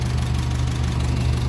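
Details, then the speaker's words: 1957 Ferguson 35 TVO tractor, warm after about 10 minutes running, idling just below 800 rpm, temperature up, oil pressure and charging light good: low, even thrum, no knocks or misses; normal warm idle. "we're up the temperature oil pressure is good it's been running about 10 minutes we're sitting there just below 800 and our charging lighters exactly the way it's meant to be"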